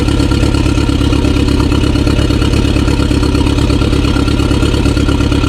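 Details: 2016 BMW 428i xDrive (F32) petrol engine at idle after restart: steady low idle with slightly uneven pulse, a cylinder seemingly dropping out; misfire, cause still unknown.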